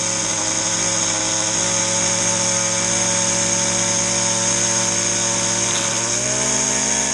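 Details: Stihl FS 70 R trimmer, first start in spring after sitting since October, choke used: loud, steady high two-stroke buzz holding pitch for seconds, easing slightly near the end. Normal running.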